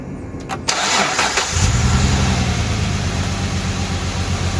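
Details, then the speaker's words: 2008 Dodge Charger 2.7L V6, code P0302: cranks, catches and settles into a slightly lumpy idle from a dead cylinder 2 misfire; coil or plug still to be tested. "Okay. Now the cylinder has a dead misfire. I mean, you can tell when you're driving, you can probably tell right now."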